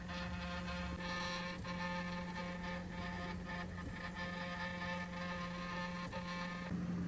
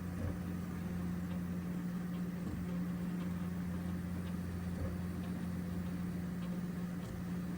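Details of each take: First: Original Prusa MK4 3D printer printing its first layer with a loud, steady motor whine that shifts pitch with each move. It is recorded before the fix, after which it runs smooth. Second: Original Prusa MK4 first layer after the noise fix: steady low motor hum with faint soft ticks, smooth and quiet, where before it was loud.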